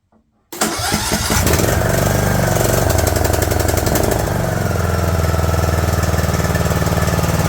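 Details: Craftsman LT2000 lawn tractor small single-cylinder engine, cowl on, hot wire reconnected to the fuel solenoid after it was freed up: catches after a couple of cranks and settles into a steady, even fast idle on choke. Normal.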